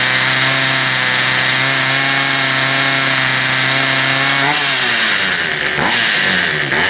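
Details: Poulan Pro 222 38cc two-stroke chainsaw that wouldn't start, now running after the misrouted fuel line was fixed and a new air filter fitted, started off choke: steady buzzy pitch, clean revs up and down without stumbling; runs properly.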